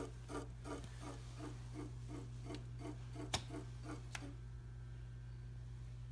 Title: Tacx Neo Smart clicking sound